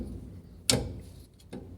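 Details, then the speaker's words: Ford Del Rey rear suspension noise: two sharp metallic clunks about a second apart from a loose rear-axle stabilizer bar knocking at its mount, hard to see from outside the car. "e aí essa barra estabilizadora aqui do eixo traseiro você fica doido procurando porque você de fora do carro você não consegue nem ver essa barra aqui ó aí você fica doidinho caçando onde é um barulho"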